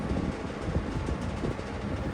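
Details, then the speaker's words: Vintage McGraw-Edison box fan, model 204002, on low speed: a steady low rumble with a fine buzzy rattle from the loose grill; owner thinks it might need balancing, cause unconfirmed. "This is what these old fans did. Yes, grill's rattling. It might need to be balanced."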